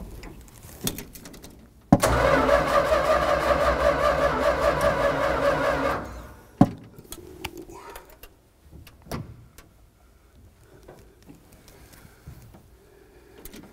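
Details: 1965 Dodge A-100, unstarted for 22 years, cranking after priming with fuel; fuel pump works but carburetor float not working: four seconds of steady rhythmic cranking, about 2.5 turns a second, never catching; engine flooded.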